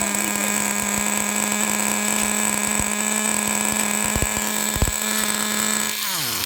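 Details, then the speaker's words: 1999 Traxxas T-Maxx Pro 15 nitro RC truck: a high screaming engine holds pitch, then suddenly dies. Unburned fuel leaks at the front crankcase bearing, an air leak explaining the surging and stalling. "there's a drop of fuel leaking from the bottom of where the front bearing is on the crank case over there that is literally unburned fuel directly from the bottom of the crank case well that explains the situation that explains why it seems to speed up a"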